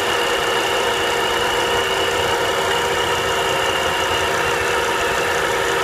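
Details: Volvo V70R at idle: constant high whirring rasp over the engine; noise gone with serpentine belt removed, so the alternator is suspected, probably a bad bearing; alternator to be replaced. Engine accessory noise at idle.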